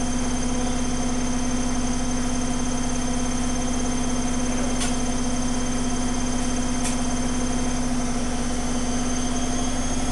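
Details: Zanussi Flexi Dose ZWG7160P washer spinning an unbalanced load at about 1000 rpm instead of 1600: a steady hum broken by brief, sharp intermittent crackles, cause unsure (electrical or mechanical). After rebalancing, it spun at 1600 rpm without crackling.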